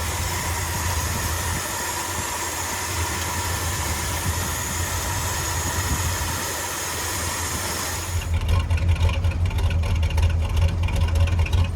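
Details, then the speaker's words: 1977 Ford F-250 Highboy carbureted V8, after about 10 years: steady, even low idle rumble that firms up and settles, still a bit lower after the choke return spring was removed to cure the high idle; normal idle. "So it's basically fine. Just a wee bit lower."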